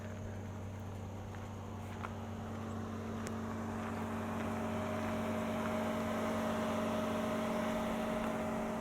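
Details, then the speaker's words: 2022 Hyundai Elantra N, 2.0 L four-cylinder, 6-speed manual: steady whirring hum of radiator cooling fans running after shutdown, no engine beat; normal, they run after every drive, even short ones. "Those cooling fans will run after every drive, even if you've just gone for a quick cruise downtown."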